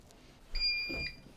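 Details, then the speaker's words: APC 1500VA UPS on battery power, after 2 hours 13 minutes running a computer: a single shrill electronic beep in a quiet room as the battery depletes and the unit shuts down. "all right it just shut off at 2 hours and 13 minutes um so let's see here now it's beeping computer shut off"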